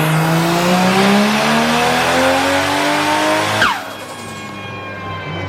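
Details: Toyota JZX chassis with stock-bottom-end VVTi 1JZ, Garrett G25-660 turbo, 1200cc injectors, E85, V160 gearbox, on dyno after plugs gapped down: engine pitch climbs smoothly to the top without stumble, then drops on lift-off; clean full-throttle pull.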